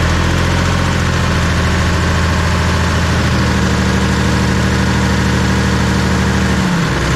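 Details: Bomag BW213 padfoot compactor diesel bought at auction, running after bleeding an air pocket from the fuel system: deep, even thrum at idle with no misses or knocks; normal idle.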